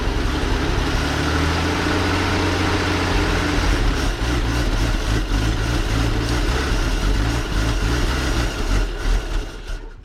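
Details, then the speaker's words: 1933 Dodge Brothers flathead 6, first start on starting fluid: uneven lumpy low beat around three per second that stumbles and fades; rough running from a poor carburetor, later found empty of fuel. "Yeah, carburetor's not happy, but it runs."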